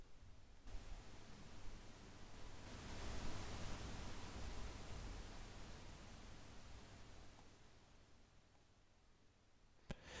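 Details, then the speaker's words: Maono AU902 USB condenser microphone on Ubuntu with PulseAudio input level too high, no speech: a steady, very audible hiss with a faint low hum, introduced above about 62–70% input gain. "there is very audible hiss in fact why don't we do this i'm going to not speak and you can just hear how audible that hissing sound is unless i change these levels"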